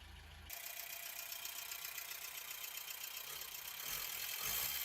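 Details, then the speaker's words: 1989 MK4 Ford Escort, started without choke after nearly a year unused: steady idle with a thin constant high whirr and hiss from a worn clutch release bearing; clutch kit and release bearing replacement planned. "as you can hear here the release bearing is uh definitely on its way out doesn't sound great at all"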